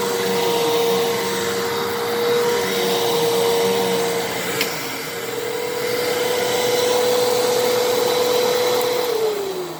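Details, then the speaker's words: 12 Amp Fantom Fury upright vacuum, made October 2000, after clog repair, on carpet: steady motor whine holding one pitch with smooth airflow rush, winding down at the end; normal healthy running. "welp I'm happy this thing works look at that groomed the carpet beautifully even got up a little little dust bunny in there"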